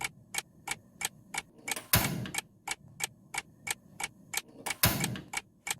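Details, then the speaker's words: Gas stove after cleaning clogged burner, repeated ignition test: sharp regular igniter ticks about three per second with two brief whooshes as gas catches; burner lights cleanly with full flame. "Coba kita hidupkan berkali-kali ya guys. Kita tes, apakah kalau kita hidupkan berkali-kali kompor bisa meledak?"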